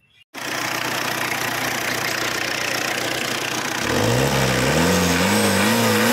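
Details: Tata Indigo after head gasket job, head work, and new timing belt, tensioner and timing parts: engine catches and settles into an even hum, revs up and down smoothly with no knock or rattle, healthy.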